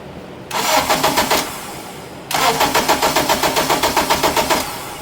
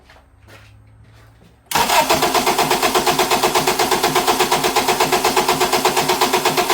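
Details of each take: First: 2007 Acura TSX towed in after running with vibration, battery dead and charged, oil level fine: two bursts of even, quick cranking at about four beats a second, but the engine never catches; a crank, no-start, fitting cam timing jumped out of sync. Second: 2007 Acura TSX with crank-no-start, no check engine light, cranked with coils pulled and plugs left in: starter turns it about six seconds with an even, steady beat near three per second; compression sounds even, yet it won't catch.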